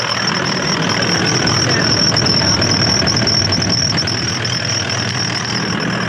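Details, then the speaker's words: Toyota Landcruiser running after a suspected collapsed idler pulley on the belt drive: harsh metal-on-metal grinding with a steady high squeal, burning-rubber smell, belt labored and resisting at start; cause suspected, not confirmed. "But yeah, basically sounds like metal on metal grinding. Can smell a bit of burning rubber. Like the belt certainly it's labored to start the car."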